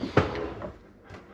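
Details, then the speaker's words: Frigidaire dishwasher after a homemade nut-and-bolt hinge pin replaced the broken plastic hinge pivot: the door swings with one soft thud and faint friction, with no more clunking. "There's our homemade uh pin hinge pin there. No more clunking noise."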